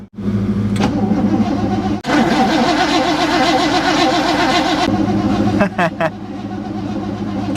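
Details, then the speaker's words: 1960 Chevrolet Impala four-door, sitting 32 years, on a new battery with the key switch: starter spins the engine steadily at about two and a half turns a second, no drag or hesitation; normal, healthy cranking. "sounds like a nice healthy crank too nice and even"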